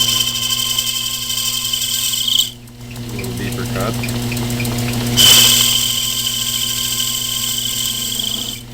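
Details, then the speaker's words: Logan 922 lathe (possibly late 1940s/early 1950s, 11-inch swing) taking a deeper cut: a high, steady ringing squeal of chatter caused by the cutting bit being set perfectly straight, which is not how it should be set. "I'm getting chatter cuz my bit is in there like perfectly straight so that's not the way it's supposed to be"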